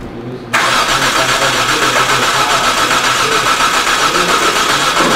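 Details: 2007 Hyundai Santa Fe 2.7L no-start, cranked while injector pulse is scoped: steady fast cranking about 3.5 beats per second, never fires; battery 12.5V, spark and injector pulse present, fuel delivery suspected.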